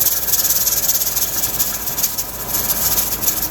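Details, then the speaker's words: Pressure canner canning turkey after venting, with heat being lowered slightly: a continuous sharp hiss with a fast, uneven weight rattle of about three to four jiggles a second. It is holding pressure normally. "it's getting ready so it's gonna start to jiggle and it should only be for a few seconds there you go"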